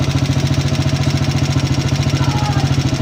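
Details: Motorcycle at idle: steady idle with hard metallic clatter on every beat, about three per second, like coins rattling inside; top-end noise, cause suspected not confirmed, repair planned next day.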